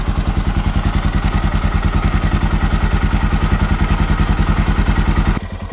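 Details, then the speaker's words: 1979 Honda XR500 single, freshly fully rebuilt, idling after noisy top end was fixed: steady thump about three and a half beats a second, no tick, engine quieter and sounding good; normal idle. "Engine's quieter. It's looking good. Sounding good."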